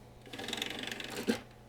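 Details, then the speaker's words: Power Macintosh 5500/275 CD-ROM drive loading a disc after repair: a quick burst of rapid mechanical ticks ending in a clunk. The drive works but is very noisy; it is unclear whether this is normal. "It's a pretty noisy drive."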